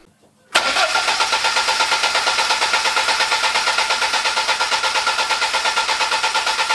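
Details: BMW E30 first start after 8 years, following days of fixing no fuel pump and no spark (hoses partly unclamped): brief crank, catches at once and holds an even, steady idle; normal start and idle.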